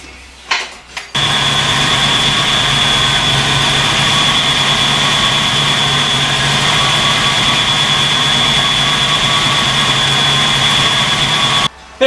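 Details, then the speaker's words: 1986 Mustang GT, roller 302 HO 5.0 V8, started just after a valve and rocker adjustment: it catches quickly and settles into a smooth idle with no ticking or knocking. A sticking lifter was suspected earlier. Normal running. "sounds good um really Italian different the way it did before but peace of mind"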